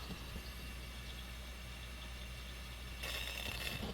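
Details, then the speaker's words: Coleman 228 lantern after partial teardown, pumped up and valve opened: quiet hiss, then a sharp fuel spit about three seconds in; quick spit means the generator is likely not blocked. "comes really quick and so that's the other thing too is like when you hear the fuel spit that quickly it's probably unlikely that you've got a a blocked or plugged generator problem"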